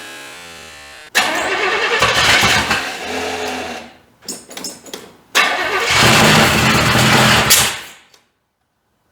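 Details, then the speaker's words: 1985 Chevy C30 diesel-to-gas swap: cranks, catches and runs unevenly with surging and stumbling before dying; the distributor was found one tooth off and wanting more timing, with the carburetor needing adjustment. "Let me fix this, because I'm hitting back there and it wants more timing. Let me fix that, and I got to adjust on this carburetor a little bit."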